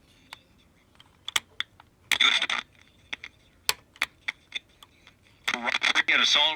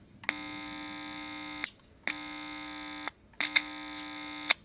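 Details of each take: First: Philco 41225 radio: irregular sharp crackles and pops with sound cutting in and out, traced to a dirty switch making intermittent contact. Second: Philco 41225 radio under repair: touching the input with a screwdriver gives three loud buzzy hum bursts about 1.5 s each, showing the amplifier stage is working; tube contact or open rectifier was first suspected.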